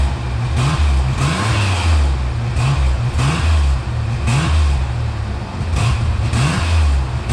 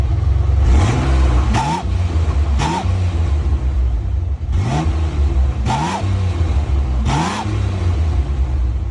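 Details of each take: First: 1988 Ford Bronco II with new muffler test-fitted unclamped: deep, even exhaust rumble rising and falling cleanly, no whoosh or rattle; previous exhaust noise gone. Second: 1988 Ford Bronco II (Ranger-based) with exhaust louder than usual, revved in five or six blips: each brings a thin whistle over the exhaust rumble that rises with revs. Intake was suspected first.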